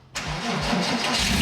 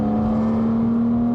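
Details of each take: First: 16-year-old Porsche Boxster S 987 with over 120,000 miles: engine cranks and catches, then a high, wavering alternator squeal over the idle at startup; the fix is to replace or strip and clean the alternator. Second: Porsche Boxster S 987, 3.2-litre engine with sports exhaust, about 16 years old and over 120,000 miles, accelerating at full throttle: strong steady climbing tone, smooth and clean with no misses or rattles; still pulls hard, normal acceleration.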